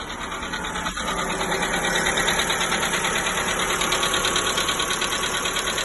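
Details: 1.4 MPI engine (Polo, Ibiza, Fabia), cold start after oil and filter service: light even metallic tick about three times a second, lasting up to 5 minutes then fading; new hydraulic lifters and rockers and oil changes didn't cure it, cause unknown.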